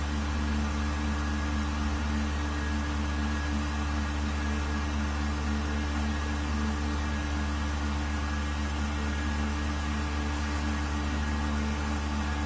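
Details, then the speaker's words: Vacuum pump on a 1600-litre mixer during a vacuum test with an empty chamber, gauge vacuum at 0.08 and rising; deep constant drone with steady low whine, no knocks or surging, quiet good-quality pump operating normally. "This is a vacuum pump. Very low noise. And this is a good quality one. Low noise."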